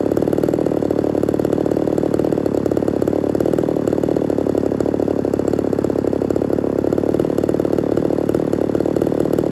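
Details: Ported Homelite Super XL-130 chainsaw on its final test run: fast, even two-stroke burble at idle with no stumbling or surging; normal idle, oil and running good.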